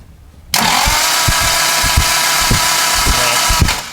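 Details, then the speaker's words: 1967 Morgan Plus 4 Drop Head Coupe, not run in years, spark plugs removed: fast, light, even whirring as engine turns over freely with no compression, checking it is free and probably priming the fuel system via the mechanical fuel pump. "you want to turn over real quick so I can here turn over with no compression"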